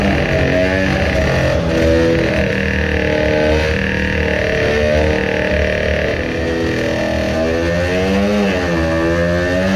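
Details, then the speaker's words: Modified two-stroke moped on a brake dyno with load-cell power run, new intake manifold; buzzes hard under load with wavering, surging revs and rattle as cylinder breaks loose, bouncing a few millimetres; aluminium spacer plate probably failed; fuel leaking afterward. "the cylinder broke loose not sure if it is visible but it is bouncing up and down a couple of millimeters the aluminium spacer plate has probably failed."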